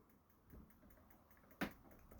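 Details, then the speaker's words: 2015 Bailey Autograph 740 motorhome fridge on gas, control turned to maximum: sharp dry ticks about every half second as the ignition button sparks; normal igniter clicking. "when you've selected gas what you need to do is push this button in here with it turned around to maximum and press the ignition button okay you'll hear it clicking"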